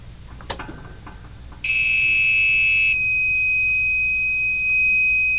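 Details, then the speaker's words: Old UPS with a weak battery under load, unplugged from mains: a sudden loud, continuous high-pitched on-battery alarm beep that holds without a break. "So that's what happens when you run out of power. So you have to wake up and turn it off."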